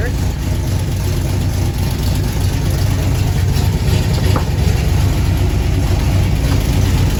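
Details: 1977 Chevy Camaro V8, just fitted with a new torque converter and Pypes Violator exhaust, warming up: loud, deep, steady burble with an even lumpy beat, no misses or ticks; normal warm-up idle.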